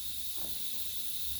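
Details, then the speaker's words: Simplex restoration run on 30 psi compressed air, unlubricated; steady high-pitched hiss from a faulty blowdown valve and an unlocated leak somewhere inside, not around the pump, air leak. "it's escaping out of there so that's faulty but what's concerning is there's air escaping around here somewhere and I don't know what it is"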